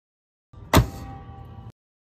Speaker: as you can see the contacts get pulled completely in a allowing the current to pass smoothly this is a good contactor